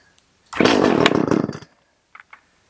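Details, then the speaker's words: Echo CS 370 chainsaw being tuned after a no-start, primed: a short, sharp two-stroke buzz for about a second on fast idle, then it cuts out. "let's give it fast idle let's give it some choke so that we can determine if"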